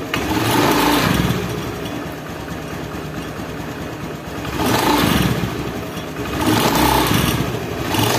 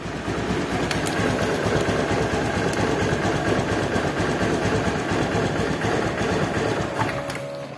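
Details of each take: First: Honda Beat injection scooter CVT knocking (klotok) while revving in slow swells, rough rattling clatter under the engine note, from a loose bearing seat on the pulley shaft. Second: Honda Beat injection scooter CVT after fixing a clunking (klotok) rough CVT, parts reinstalled: even, steady belt-drive hum with no clunking or knocking; smooth and quiet normal running.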